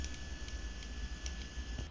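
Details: Refrigerator after replacing a very noisy, vibrating compressor that couldn't be fixed otherwise: new compressor runs with a low, soft hum and faint steady whistle, quiet and even, no rattling or vibration.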